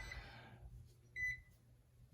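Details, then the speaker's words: Smoke detector in a quiet room gives a single short high chirp; chirping from a missing battery after line power was restored to detectors that never worked properly since the house was built. "My son's smoke detector is lit up. It's chirping because it doesn't have a battery in it."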